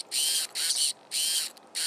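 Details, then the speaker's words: Servo in a rebuilt RC plane: four short bursts of smooth, even electric whirring as it sweeps back and forth, no grinding; sounds normal. "that sounds normal this doesn't do the other one"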